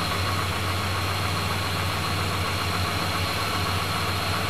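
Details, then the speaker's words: Chrysler 440 RB big-block wedge V8 in a classic car, just tuned up with new spark plugs: even, low burble at a steady warm idle with no ticks, knocks or misses; smooth, healthy running. "let's see what it's like and start it up and you can hear how smooth it is look at that [Applause] [Music] no ticks no"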